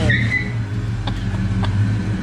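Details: Foxbody Ford Mustang with AOD automatic, driven after about 11–13 years in storage; rolling under light throttle, low smooth note, no flare, clunk or whine between gears. Normal automatic transmission operation.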